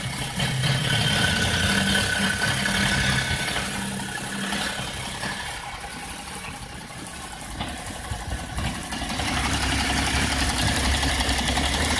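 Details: BMW E60 whose idle randomly becomes unstable after vacuum pump replacement: revs hunt, the note sagging quieter then climbing back instead of holding steady; cause still unconfirmed.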